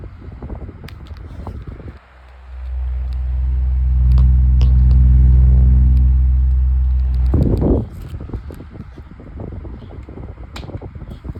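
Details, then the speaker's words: White Pelonis table fan, long unused, on high speed: low steady hum with a rhythmic wobble about four times a second; the warped blade throws it out of balance. "And what it still does, it still shakes quite a lot. Yeah, the balance is really bad."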